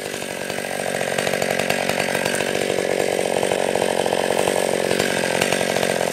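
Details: Stihl 020 AV chainsaw, after a new clutch, chain and nose-bearing bar, idle turned up once warm: strong, even high-revving buzz holding steady under the cut, no bogging or misfire; runs healthy, felling a small tree in seconds.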